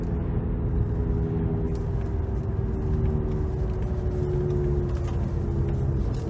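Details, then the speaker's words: 2008 Audi S8 (D3) driving with new Continental tires about 200 miles on; deep steady rumble and droning hum from the front while the rear is silent, louder when loading through turns: front right wheel bearing going out. "Sounds like we got a front right wheel bearing going out."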